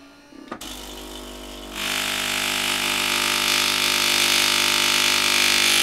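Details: Philips LatteGo espresso machine being tested after repair: a click, then a steady high buzzing drone that builds and holds; the pump is running dry and priming while the hoses are still empty.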